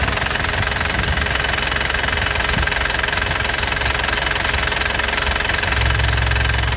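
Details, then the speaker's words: 2008 Isuzu Panther LS Turbo diesel with a factory-standard engine, started on the first crank. Even, steady idle clatter of about two and a half knocks a second with no misses; a normal, healthy diesel idle. "sekali cegreng ya langsung nyala mesin cegreng langsung nyala ya"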